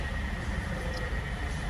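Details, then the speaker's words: 2002 Nissan Altima with replacement engine, after idle relearn fixed high idle and surge: quiet, steady low idle hum with a faint belt whine, no hunting or surging; idle now normal. A faulty power steering switch was also noted. "we have successfully fixed their concern we're idling where we should be"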